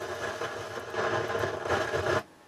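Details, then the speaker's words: Harman Kardon HK580i receiver: steady hiss-like rush in the left channel at startup that cuts out abruptly. Noise comes with the subsonic filter engaged and is independent of volume; fault suspected in the subsonic circuit. "sometimes it starts up there's a lot of noise in the Left Channel and it's a rushing uh sound doesn't sound good so the problem with this is the subsonic filter"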